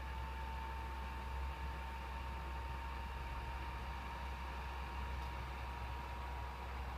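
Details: PS4 console idling on a game title screen: loud cooling fans with a steady airy whoosh and thin constant whine despite no load; owner unsure whether a replacement is needed.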